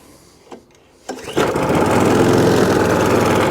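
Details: Old scrap-pile Mountfield Empress roller mower after new carburettor, new spark plug, WD-40-freed parts and adjustment: a couple of pulls, then it catches and settles into a steady even chug, about four beats a second, running cleanly.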